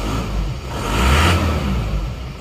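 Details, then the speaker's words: Isuzu Panther L 1740 diesel, cold morning start after replacing the pistons and rings; steady low rumble with one brief rev and slight roughness while cold, otherwise even; injection pump judged fine, slight cold shake normal and evens out warm. "ini jadi menurut saya ini tidak ada indikasi Bos pom bermasalah ya Ini bukan bukan bos pomnya ya kalau kalau pagi itu agak goyang dikit enggak masalah abaikan saja"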